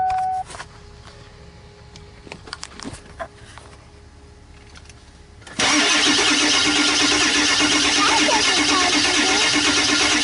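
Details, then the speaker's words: 2001 Ford E350 PowerStroke van, 194,000 miles, freeze-cracked block, jump-started from another car, glow plugs unchecked, maybe low fuel: long sustained even starter churn near three turns a second that won't catch; hard start. "So it wants to start. Just give it a second, because that probably made them jumper cables a little warm."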